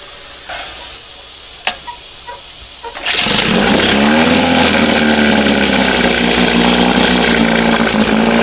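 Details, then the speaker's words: 1971 Johnson 20 hp outboard after carburetor linkage swap, throttle set between the two marks; catches and holds fast steady buzz never dropping to slow idle, lots of smoke, old fuel suspected; high idle, throttle plate open too far. "No, I got it open too far. But she sounds good. Look at all the freaking smoke."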